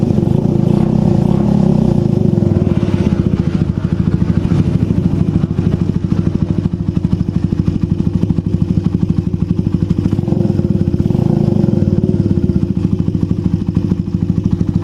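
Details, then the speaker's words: Suzuki Satria FU 150 after valve clearance adjustment and timing-mark (TOP) setting: quick, even putter at idle, steady thumps, no ticking or clatter; engine smooth, normal idle. "Iya, kalau Ya, mesin sudah lembut."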